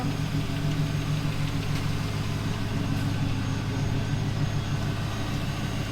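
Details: 1999 Pontiac Trans Am Ram Air WS6 V8 idling after maintenance and headlight motor repair: deep, steady, even low burble with no knocks or misses; engine running smoothly and healthy.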